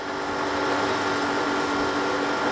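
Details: Panasonic 1 PK air conditioner outdoor unit, after freon charging: steady even hum with a constant tone near 300 Hz and no knocks or rattles; running normally.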